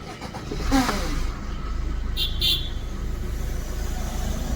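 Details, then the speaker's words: Maruti Suzuki Swift/SX4 diesel with a no-start from an immobilizer key light flashing (unmatched key), restarted after the transponder chip was refitted in the key: brief crank, quick catch, steady diesel idle; it now starts normally. "Ignition of ignition on अभी light perfect हो चुका है अभी self लगाएंगे सीधा गाड़ी start हो जाएगा"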